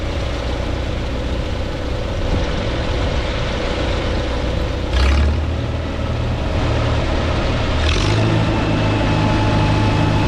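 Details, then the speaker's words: 1952 Farmall Super C tractor with a steady, even idle and no miss after a misfire repair that included bending up the distributor rotor prong. The owner is unsure whether that or a stuck mechanical advance was to blame. "I can't say for sure but I'm happy that it's finally fixed and running well so I'm going to start it up and let you guys hear it"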